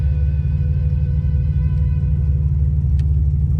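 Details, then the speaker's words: 2005 Buick LeSabre 3800 homemade jeep conversion at 287,398 miles, run about 50,000 miles without an oil change: deep steady idle rumble with a rough, uneven knocking pulse underneath; the engine is knocking real bad at idle. "I mean, granted, like I said, it's knocking real bad, so I don't want to use it as a daily car."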